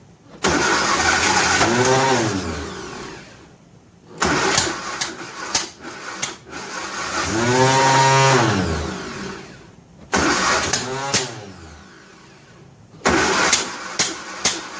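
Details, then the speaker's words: 1957 Nash Metropolitan barn find that sat for many years, cranked with starting fluid after trying the choke in various positions: bursts of starter cranking with a rising and falling whirr and a few weak catches, but no run. Plug wires 3 and 4 are crossed. "very odd very odd indeed well let me fiddle for a minute you ever sabotage yourself yep i've crossed three and four plug wire i bet it runs now"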